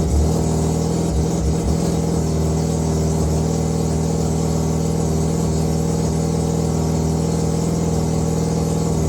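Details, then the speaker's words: Tidy Mazda 323 with 13B bridgeport rotary that was running rough, after setting ignition timing with old igniters refitted: steady even idle with a smooth constant hum, no misses or knocks; sounds all right. "Sounds all right."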